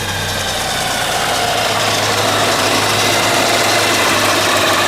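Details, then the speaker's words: Subaru BRZ with a Kraftwerks supercharger kit, engine bay. An even, smooth idle and rev with a faint supercharger whine rising with revs, and no knocks or misses. Running healthy. "So, come back around the front and just show you what it all looks like running. Give it a bit of a rev as well."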